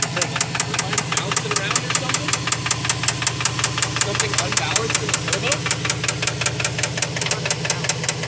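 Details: Subaru engine mystery sound: sharp, even ticking about five times a second over a steady idle hum; location unclear, heard from either side, possibly passenger side, cylinder number 4 suspected; cause not identified.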